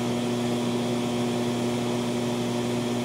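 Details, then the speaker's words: TLP Audio TPS 20 phono stage at 76 dB gain on a basic TG1 power supply, no capacitor pack, 1.6 mV residual noise: steady low hum under a wash of hiss; power-supply ripple hum that is to be removed. "there is hum and there's also a lot of rush which is typical of phonon stage of this game any phonon stage will have to rush but it is the hum that we want to get rid of the most"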